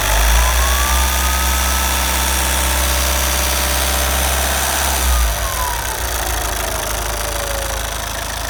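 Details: Opel Zafira 1.9 diesel: idling, then revs climb to about 4000 rpm and a thin turbo whistle rises and falls with boost over the engine note; cause unknown.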